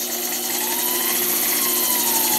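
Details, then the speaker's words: Coil winder motor slowed by a dimmer switch, no load: steady high whine whose pitch sags and drifts as speed drops; motor starved of voltage, risking heating under load. "I can tell by the whining of the motor that it's definitely not getting enough voltage, and it actually could heat up that motor."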